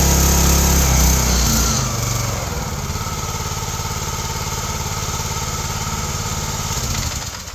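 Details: Log splitter engine (owner mentions Kohler-type engine on many splitters) after carb cleaning, new plugs and oil change: revs high then drops to an even, steady beat with no misses or knocks; normal running after service.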